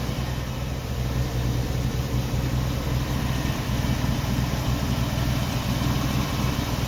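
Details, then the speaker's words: 1990 Jeep Wrangler just started after the fuel tank was reinstalled, carburetor being tuned: uneven, lumpy, wavering idle; rough idle, with injectors and carburetor to be cleaned. "and here she's really rough seen that vice grip fell off"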